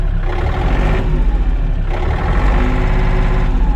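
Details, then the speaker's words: Yanmar AF230 cab mini tractor diesel after start-up: even, deep chug at steady speed, no misses or knocks; runs smoothly for its hours. "без проблем при такой наработки так работает ровно"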